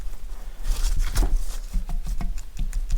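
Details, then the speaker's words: TVR Speed Six cylinder head stripped, exhaust valve rocked by hand in its guide: loose metallic clicks about four a second; exhaust valve guide worn with far too much play. "But the two exhausts I've done so far are a lot worse. Can you see the You can probably hear it as much as see it. I know there'll be an amount of play and the exhaust get hot, but"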